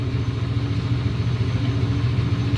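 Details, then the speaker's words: Briggs & Stratton 9.5hp OHV engine on PowerBoss 5500 W generator reassembled from parts: dull, uneven low chug that never catches; low compression, hard starting, owner suspects a stuck valve and blowback. "it doesn't really have enough compression and it probably has a stuck valve"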